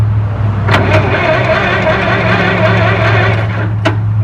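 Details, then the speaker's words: Possibly 1920s White truck at first start, cranked again in neutral to build oil pressure: steady, even cranking with no knocks or grinding. It turns over freely but does not fire; a suspected spark problem traced to the ground cable under the seat. "well we're gonna give it some more oil pressure now we're gonna crank"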